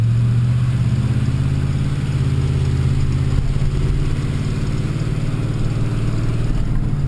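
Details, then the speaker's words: 2004 Ford F150, 5.4L 3V Triton V8, owned four years: fast regular ticking over the deep engine note when accelerating or lugging under load, loudest ever; owner suspected cam phasers, later found a broken exhaust header bolt causing a manifold leak. "the loudest it's ever been in the four years I've owned this vehicle"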